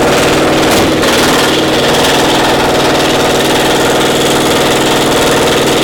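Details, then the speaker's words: Caterpillar Diesel 70 twin pony motor, round 4 start: loud, lumpy beat with pulses dropping out, running on one cylinder and hitting on two only occasionally; acts like a spark plug problem, misfire. "So what's the status? Running on one cylinder. We got one cylinder not Hitting working."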